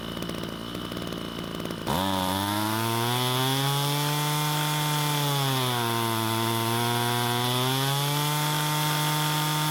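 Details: Ryobi string trimmer that would not start, test run after cleaning debris from the fuel tank: the small two-stroke catches cleanly and holds a smooth, steady buzz that dips and recovers evenly with throttle; normal running.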